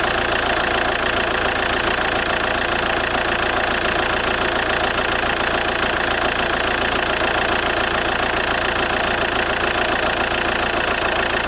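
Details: JTD 105 diesel at cold idle: a steady, fairly regular creak about three or four times a second over the diesel clatter, occurring when the engine is cold; source unclear.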